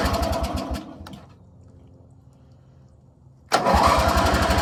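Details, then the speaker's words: 1985 riding mower, just pressure-washed, kill switch rewired: engine putters, dies, silent a couple seconds, then catches roughly; hard starting, owner suspects water on the magneto. "choke okay come on what's your problem I think sometimes the Magneto gets on or water gets on the Magneto and it will uh oh sorry it will um mess it up a little bit"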